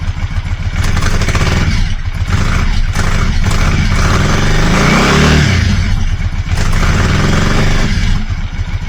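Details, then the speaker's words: Motorcycle after a repair, on a stone-cold start: it starts better but stumbles and pops unevenly when revved, a misfire the owner blames on the cold start. "now that sounded better on the startup it's still not keen on you revving it it seems to sort of misfire them but that's probably because it's a stone cold start"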